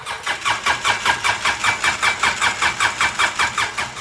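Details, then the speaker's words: 2012 Polaris Ranger 800 XP, reportedly ran when parked: quick, even starter chug about five beats a second that never fires; no spark at plug, owner suspects wiring harness. Crank, no start. "that's definitely no spark. Whatever's wrong here, that harness is definitely the problem."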